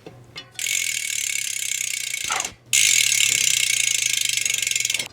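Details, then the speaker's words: Bicycle rear hub freehub after cleaning and applying grease to the ratchet: two spins give a fast, even, high buzzing ratchet without gritty catches, much smoother than before; normal freehub ratchet. "처음 소리보다 굉장히 부드러워졌죠."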